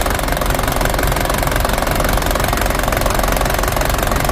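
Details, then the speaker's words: Toyota Dyna diesel: long cranking, then idle lurches and stumbles with uneven knocks, worse when hot; adjustment can't fix it, rear injection pump plungers being repaired. "jadi ee walaupun kita setel teman-teman Itu suit sekali kita menemukan titik yang baik dan bagus begitu ya jadi mesinnya masih tetap goyang seperti"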